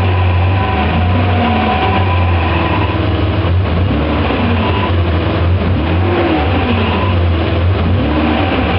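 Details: BMW E34 535i: steady engine drone with a warbling whine wandering up and down in pitch; weird noise suspected from the gearbox, unconfirmed.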